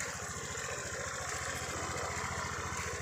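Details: 2016 (B.E. 2559) Honda PCX150 scooter, original engine, quiet final drive, new front and rear tyres, no overheating: steady, even quick low pulses at idle with no knocks or rattles, healthy quiet engine.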